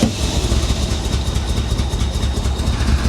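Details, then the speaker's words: Rescued 1985 Chevrolet Corvette from a Florida swamp: engine stumbles at a low, lumpy idle with scattered pops and crackles; rough running, timing, fuel or misplaced plug wires suspected, not confirmed. "i don't know she sounds like she tries so hard to run better you can hear it popping"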